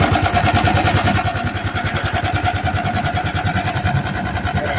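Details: Italika FT150 motorcycle that won't stay running: lumpy, uneven running with a rapid ticking of about three per second that sags and surges, with engine noise. The engine was disassembled and the cylinder sleeve replaced.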